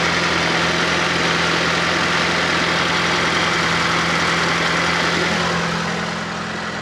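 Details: Fiat Panda 4x4 Sisley fuel-injected, cold idle at about minus two °C; smooth even steady low note, no knocks, misses or hunting, easing slightly at end; normal cold idle.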